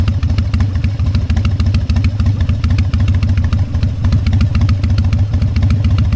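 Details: Harley-Davidson Fat Boy Evo 1340 V-twin, started after winter storage with a cleaned carburetor and jumper cables: deep, loping uneven potato-potato thump at idle, about three beats a second, strong and steady; healthy.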